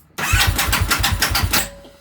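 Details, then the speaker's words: 2009 Buell 1125CR, starter spins about a second before the engine turns; motor caught a little, smells burny, sometimes starter just spins freely; engine turns only a fraction of normal cranking rpm, causing hard start; brief uneven chuffs then dies; slipping starter sprag clutch under the left-side charging rotor. "the motor caught a little bit but you can hear the the starters spin before the motor spins for like a second sometimes it'll just oop it smells a little burny too sometimes it'll just spin and you'll just hear it spinning"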